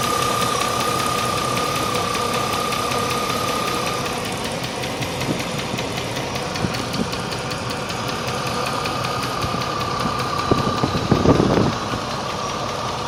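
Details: 1998 Range Rover P38 idling: steady, heavier tick of about three to four per second over the engine note, still at valve speed; cause unconfirmed.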